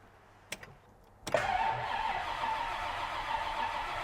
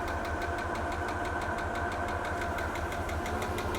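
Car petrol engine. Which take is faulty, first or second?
second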